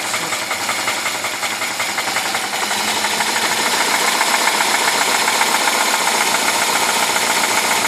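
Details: UZAM-412 engine running with a regular metallic knock near four per second riding over it; cause not pinned down; engine knock.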